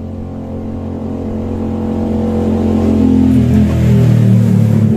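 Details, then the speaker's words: Carbureted Honda Vario scooter that would not start at all, now starting and revving smoothly and evenly after valve repair; piston and compression still somewhat weak and not replaced; runs normally. "nah ini udah hidupnya udah norma udah keadaan hidup segar"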